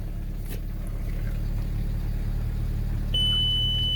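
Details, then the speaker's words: VW MK4 Golf/Jetta 1.8T GTI after fitting an uprated DeatschWerks DW65C fuel pump: fires straight up into a steady low rumble at an even idle with no stumble or hunting, dash chime near the end. "new fuel pump in fired straight up"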